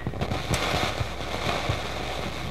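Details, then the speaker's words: 1951 RCA A-108 AM/FM radio chassis: irregular crackling and popping over hiss from bad mica capacitors in AM IF cans, tarnished silver layer causing intermittent shorts; capacitors later replaced. "the silver layer on the mica gets tarnished and somehow it becomes conductive so that you end up with intermittent shorts"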